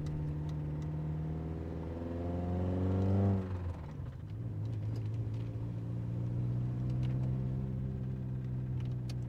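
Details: Toyota MR2 engine: faint light knock at idle and low rpm that goes away when given gas, with an oil leak trail and worsening; owner suspects a rod bearing being chewed up again.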